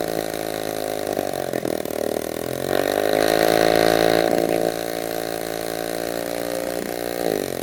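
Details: Restored 1946 Power Machinery chainsaw (Vancouver, BC) running after restoration; buzzy two-stroke idle picks up cleanly to a higher steady rev, then settles back smoothly: runs well.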